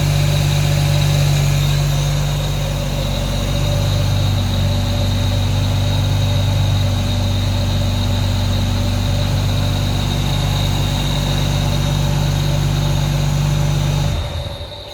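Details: Ford BF Falcon F6 turbo, first start after fitting a modified flapper rear turbo housing and redoing the water lines, started to check for leaks: smooth, even idle, steady low hum, no knocks or misses, then switched off; sounds healthy.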